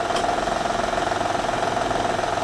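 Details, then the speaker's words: Honda/Acura V6, over 100,000 miles, idling; fast, even high-pitched tapping like a diesel knock, from the timing belt flapping against a worn tensioner wheel bearing; louder cold, higher pitch with throttle. "and now you can hear that the timing belt is a flapping and when you hear step on the gas and you hear high pitched sound like a crank chap or you know like bearing shaft or or anything like that knocking because this thing here is tapping with the tensioner wheel bearing thing"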